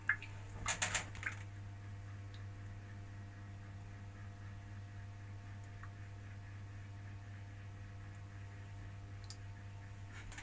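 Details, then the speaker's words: Bathroom PVC drain pipe at night, first thought to be a rat: low steady hum with irregular short wet squishy bursts; noise comes from the pipe, cause unclear. "Ternyata suara unik itu bukan dari tikus, akan tetapi suara itu dari pipa."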